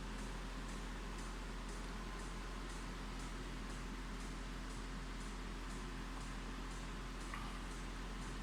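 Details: Citroen C2 that won't start and shows no ECU communication: quiet steady radiator fan whir with faint regular ticking, engine off; the cooling fan keeps running constantly with the car off.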